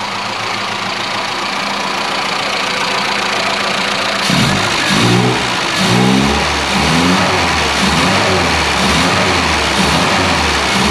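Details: Classic Mini Clubman Estate after cleaning carb dashpot top, choke pushed off, not yet at temperature: even steady idle, then clean throttle blips rising and settling smoothly without stumbling; water leak persists.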